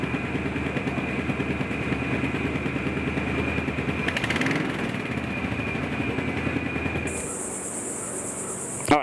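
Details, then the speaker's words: 1986 Chevy K10 Squarebody, revved: irregular sharp pops and ticks on the exhaust note, quickening with revs; exhaust popping, owner suspects exhaust manifold gaskets. "you can hear that popping and that's probably those uh exhaust manifold gaskets"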